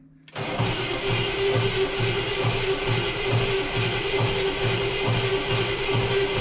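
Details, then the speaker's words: 1968 Cadillac Eldorado with Quadrajet carburetor, sitting 20+ years, with fuel and spark confirmed. Strong even cranking with an odd single clunk, but no start. A stuck valve popping back through the intake is suspected. "Okay, we got good cranking, but I don't know what that little clunk noise is there. No sputters yet."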